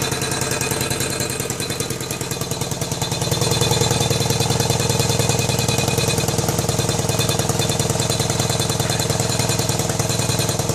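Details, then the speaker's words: 1999 BMW K1200RS at idle after a long ride: rapid, even popping putter about three per second from the left front of the engine, caused by the #4 exhaust tube rattling against the manifold port over loose or untorqued studs. "but when i got home it was quite evident that we're getting a uh some kind of a popping noise or a puttering noise coming out of the left front of the engine so either i blew a spark plug which i which i kind of doubt or something has either cracked or worked its way loose on the exhaust uh exhaust manifold probably"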